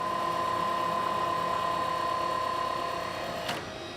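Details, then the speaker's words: FlexArm tapping arm running a 3/4 inch tap through a plasma-cut plate with non-uniform holes, handling it without trouble; steady high whirr at even pitch, then quick release, no strain; normal tapping operation. "so we got run this three quarter inch tap again but now this is plasma and like you saw the the holes are not quite so uniformed but we'll see here that the Flex arm takes care of it no sweat"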